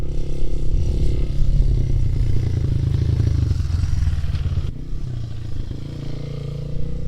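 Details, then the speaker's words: 2001 Honda XR200R rebuilt from a basket case, valves not adjusted: single-cylinder thump with a light, uneven ticking clatter, likely valve train tick, though it runs great. "well she runs great uh she's a little tickity tacky though I did not adjust the valves"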